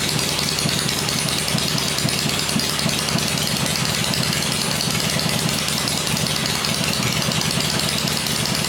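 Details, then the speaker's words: First run of a freshly rebuilt 96-inch engine with Edelbrock heads on an engine stand, with 40 psi oil pressure, gives a steady idle around 1500 rpm. A busy mechanical clatter rides on top but there is no distinct knock. Normal idle. "in the first run it seems really quiet we're running 40 pounds oil pressure in it which is good"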